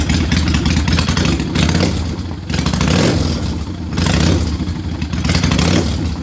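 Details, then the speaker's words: Kawasaki Vulcan 800 motorcycle after raising idle speed screw: revs swell and sag slowly with lazy pickup off idle; throttle response boggy with idle set too high, to be lowered slightly. "but that makes the throttle response boggy so uh probably going to bring that down a little bit now"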